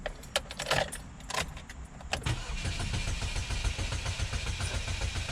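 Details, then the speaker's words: 2006 Chevy HHR cranked with the 15 A fuel pump fuse pulled to depressurize the fuel system before fuel pipe replacement: starter turns the engine over in an even rhythm, never catches, no fuel pressure. "notice that the engine isn't running it's because there's no fuel pressure"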